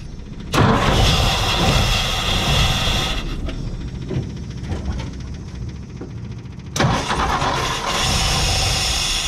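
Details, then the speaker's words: 1958 Ford F100 panel truck, plugs cleaned, carburetor cleaned, carb cleaner used to start, fresh fuel from new tank: catches into a lumpy, uneven run that stumbles and surges, dropping cylinders; traced to worn ignition points, later replaced. "it starts it wants to run but it's not firing every cylinder it's got some some issues"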